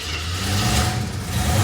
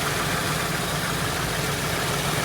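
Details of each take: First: 1973 AMC Hornet at cold start after vacuum repairs, light throttle: grumbles and lumps, a little grumpy; timing over-advanced, previously dieseled at shutdown and hung on hot start; rough cold running. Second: 1973 AMC Hornet after vacuum line repairs, with timing set to 5° and vacuum advance reconnected: steady, even low rumble with no misses; smooth, healthy idle.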